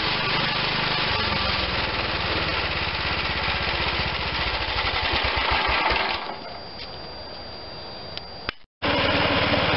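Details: Bolens Husky G10 1055 garden tractor's Tecumseh HH100 single-cylinder engine, repaired and reinstalled, thumps into a steady even beat, then drops back as throttle closes: normal running.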